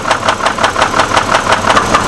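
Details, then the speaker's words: Copart Hummer H3 with a steady, sharp ticking knock that the owner feels on top of the engine, not the bottom end. Owner suspects the camshaft area; a rod bearing problem was also feared. Cause unconfirmed. "it definitely does not sound like a bottom ends issue and it feels like it's right here literally yeah I can feels like it's right there on top of the engine"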